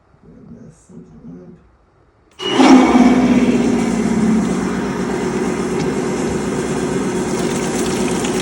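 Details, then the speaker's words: Electric fuel pump after a new harder motor shaft was machined because bearings chewed up the old one: kicks on after a silent pause with a harsh, gravelly whir and rattle over its hum; still noisy, cause not confirmed. "The pump sounds much much much mobile."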